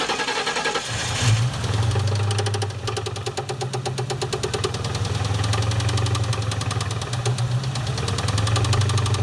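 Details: 1997 Ford Mustang GT 4.6L 2V V8 idles with a low drone and a sharp, persistent knock about four per second, run with valve cover off to check valvetrain; engine knock led to getting a replacement engine.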